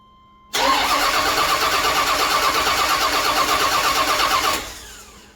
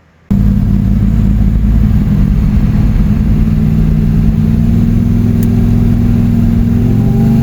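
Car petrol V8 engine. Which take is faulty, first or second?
first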